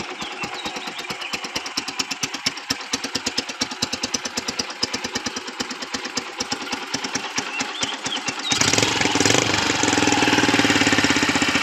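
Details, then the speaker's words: Kawasaki Boss 175cc motorcycle, used, starts easily: steady even putter at idle with no knocking or tapping, settling into a fuller note later; engine runs very quiet and healthy. "เครื่องดูครับเงียบมากนะครับ[เพลง]ไม่มีดังก๊อกๆกๆกๆอะไรนะครับเสียงเงียบเลยนะครับ"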